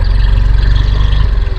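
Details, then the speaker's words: 2022 Yamaha NMAX New scooter idling after replacing connecting rod and piston, mic held close: steady, even beat with no knocking between pulses; the earlier knock is gone and the bottom end sounds healthy. "tidak ada suara trok-trok ya teman-teman. Jadi suara trok-trok sudah hilang ya teman-teman setelah diganti stang seher."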